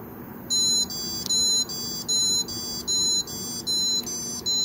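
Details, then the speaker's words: Buffalo TeraStation TS3400 NAS with no boot image, powered up: shrill beeps about a third of a second long repeating every 0.8 seconds; failed-boot alarm, after which waiting two minutes allows drive recovery. "a procedure that you have to do once you power up the device and after it fails and you hear that sound effect at that point you wait two minutes and we're gonna show you what we do next"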